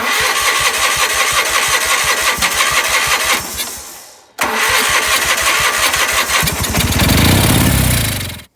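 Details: Gravely 8179-KT tractor during engine swap, engine full of oil: two long bursts of fast, even starter cranking that never catch or fire; owner suspects the carburetor needs cleaning.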